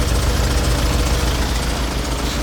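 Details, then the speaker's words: Tata Safari diesel (2.2 VTT 2011 BS4 or 3.0 Dicor 4x4 2006) at a workshop for starter motor repair: low, lumpy idle with slightly uneven knock; owner feels the sound is off, cause unconfirmed. "ആ sound ഒരു സുഖം കിട്ടുന്നില്ലല്ലോ"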